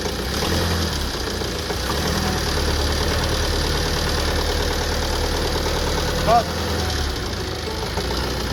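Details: Tata Safari Storme diesel at idle with fault code P0203 (injector 3 circuit): busy diesel clatter with a sharp, uneven knock riding over it, like a misfiring injector; engine knock from the injector 3 circuit fault.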